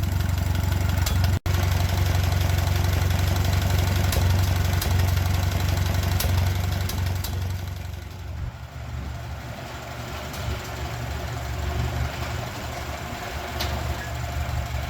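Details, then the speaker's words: Old tractor with newly fitted straight-pipe exhaust, started cold below 32°F with a little throttle: loud, deep, rapid chuffing about four pulses a second, lumpy at idle then swelling with throttle; very rowdy straight-pipe note. "Definitely sounds like a straight pipe tractor. [Music] Pretty rowdy, but now it kind of fixs the appearance."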